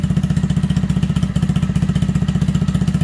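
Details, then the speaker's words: 2020 Honda Grom 125 after a TPS reset and re-learn, started cold and warming up a couple of minutes at about 1,900 rpm: steady, even thumping fast idle, no misses or stumbles; idle improved; normal warm-up idle. "there it goes starting to warm up that's been just a couple of minutes showing about 1900 rpms right there"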